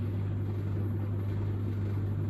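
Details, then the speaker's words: Samsung DV80M50133W Optimal Dry 8kg heat pump tumble dryer, bought for spares, on a 13-minute cycle now in its fan-only cool-down: low, even hum with a steady airy whoosh, no knocks or scraping; normal fan-only phase. "It's gone on to the fan phase now. Hopefully in a minute it'll start to play a little Samsung tune."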